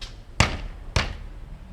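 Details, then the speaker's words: 1994 Mercedes S600 coupe on a lift, left-side front section of the catalytic converter tapped: two sharp taps each followed by a short tinny buzz, confirmed by stethoscope; loose converter internals, right side okay. "now the problem is with the left side front portion of catalytic converter it makes the noise so if I hit it you"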